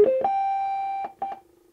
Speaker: okay that's some kind of welcome sound nice